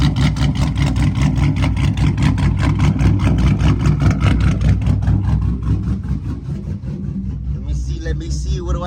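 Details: Dodge Charger SRT8 with 426 Hemi V8 idling on a hot day (90° reading): deep, even loping idle at roughly two to three chops a second, no blow-by; healthy engine with aggressive cam.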